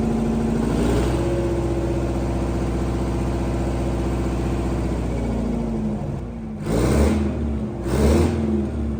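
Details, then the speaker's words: Detroit 8V71 two-stroke diesel from a bus, swapped into a John Deere 5020 tractor, first run in sub-zero cold on the hand throttle, no tachometer, owner guesses maybe 1500 rpm: a deep, even drone that climbs and settles with no knocks or misses; normal revving. "hear that thing run wow totally worth it and running with the hand throttle and then shutting off with a kill very cool"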